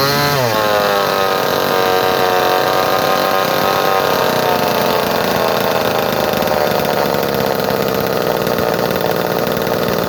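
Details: Early 245A chainsaw in mint condition, cold start after about a month unused, little gas in tank, hot day: fires on the pull, revs climb quickly and hold a steady high buzz without sputtering; healthy cold start and run.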